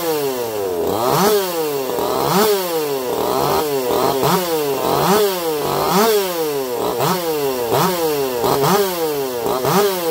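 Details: Echo CS-4910 chainsaw with taper-top piston/crank swap, test cuts: two-stroke revs up and drops back crisply about once a second, clean and even, no stumbling; zero vibration felt; runs a little warm, about 180 psi cold, 170 warm; normal running under load.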